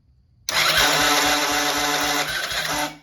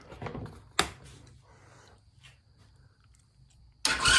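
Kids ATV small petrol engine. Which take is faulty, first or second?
first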